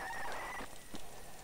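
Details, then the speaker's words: A flood-damaged ZX Spectrum cassette tape plays with a thin, high squeal for about half a second, then it drops away. The tape is squealing during playback. "oh that's that's a bit uh that's a bit unhappy isn't it right let's rewind it back right back to the beginning we'll give it another try"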